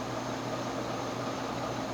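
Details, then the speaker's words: Early-1920s Century 36-inch CF-36 (283) ceiling fan, oil-bath pancake motor on its original speed coil, running on high at about 300 rpm: steady even hum and airy whoosh, no ticks or wobble; normal. "with an antique on its original speed coil kind of unusual you don't see that too often but hey welcome change of scenery"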